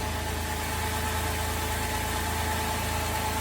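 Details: Holden VZ Adventra Alloytec V6 after replacing the failed ignition coil that caused the misfire: even, steady idle hum with no stumble or miss, running smoothly on all cylinders; normal idle.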